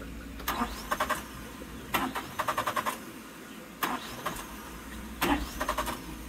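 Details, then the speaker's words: 1996 Suzuki Every van after fuel pump replacement: repeated cranking with brief stumbling catches that never settle into idle, battery going on the charger; the fuel tank turned out to have no gas in it. "all right so still no good let's uh get this battery on the charger all right we're going to give this one more shot without the battery because I realized that the tank didn't have any gas in it"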